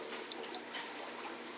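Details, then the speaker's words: Fluval 406 canister filter on a 90-gallon discus tank, restarted after cleaning: soft gurgling and trickling with bubbly pops and no motor strain as trapped air clears and the canister fills; normal air purge on priming. "yeah that's the filter filling up with water anyways"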